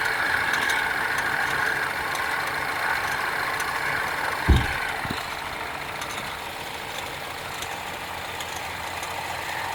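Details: BMW 316i F30 petrol engine idling at first start of the day, light fairly quick ticking on top, traced to a bad radiator/AC fan belt tensioner that should be replaced before it breaks.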